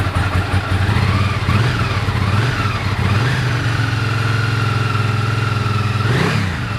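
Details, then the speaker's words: 1998 Ducati ST2 V-twin after a new open clutch and plates, fuel pump, HT leads, plugs and battery, 74 dB measured; blips then holds a steady idle, with the clutch audible when pulled in. "Ticks over beautifully now. You can hear the clutch when I pull in the clutch. And then quiet again."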